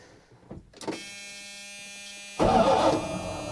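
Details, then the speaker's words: 1980 Dodge W200 Sno-Commander after replacing the failed starter with a remanufactured one: after a faint hum, a strong whirring burst that tails off; the new starter engages and spins the engine freely, sounding healthy. "Oh. I guess we don't need oil pressure, just gonna rattle. Man, that thing spins like a mofo."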